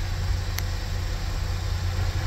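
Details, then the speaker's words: 2015 Chevy Equinox after high pressure fuel pump replacement for codes P0191 and P0172: smooth, steady low idle with no stumble, tick or hiss, no leaks; engine running normally. "okay sing oh good running very Smo now no leaks perfect"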